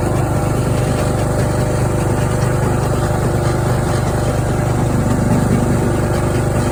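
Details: Craftsman riding mower engine that fired but would not run, after a new fuel shutoff solenoid, fuel filter, spark plug and fuel treatment (owner suspected water in the fuel): smooth, steady single-cylinder putter at constant speed, no stumbling or surging; runs healthy.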